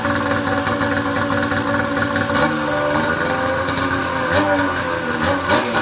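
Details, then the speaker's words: Polaris Pro XR 800 two-stroke snowmobile after replacing a torched head gasket that was burning coolant: busy burble with a steady, even idle, no misses or knocking, and no white smoke; fixed. "so [Music] oh i'm not seeing any white smoke at first i still smelled a little bit but that went away that's a pretty damn good improvement over that smoke cloud we were seeing earlier today"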